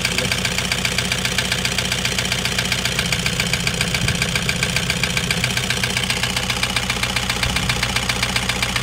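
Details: Toyota Hiace 2KD diesel, overhauled about five months earlier, now knocking loudly; injectors tested fine. Loud, sharp metallic clattering knock at steady idle, about four a second, pointing to a scored cylinder liner; engine to be opened up.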